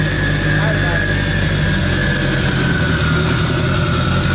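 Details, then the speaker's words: K20-swapped AWD Acura Integra at its first start-up after fuel pump O-rings were replaced to fix fuel leaks: loud but strong, steady idle with a firm low beat and no knocks or rattles, the fresh engine running clean. "go give her a whirl it's really not that loud it's loud but not that bad it sounds"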